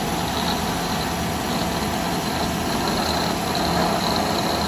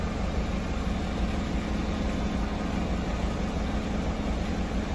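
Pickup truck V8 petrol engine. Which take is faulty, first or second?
first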